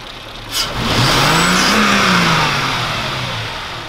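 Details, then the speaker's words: Mercedes CL500 with an LPG conversion, after replacing cheap spark plugs: catches at once and revs up smoothly into an even run with no stutter or misfire; the engine warning light no longer comes on. "kein stottern gar nichts aber es leuchte breno nie mehr also motor läuft jetzt einwandfrei"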